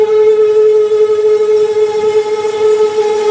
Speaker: और आप सुनिए कि इसके अंदर कितना ज़्यादा आवाज़ है और ये आवाज़ क्यों आता है